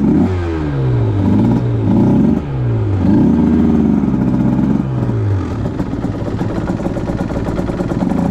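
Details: 2010 Aprilia RS 125 two-stroke running a VHSB34LD carb on pre-tune jetting (162 main, K57 needle top clip, B36 pilot, 2.5 turns): revs falter and waver around 6,000–7,000 RPM, then pick up. The stock needle is suspected of giving a rich midrange stutter; the fix is a leaner K21 needle.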